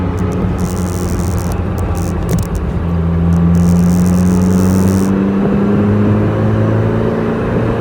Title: Overhauled Ferrari 308 engine sound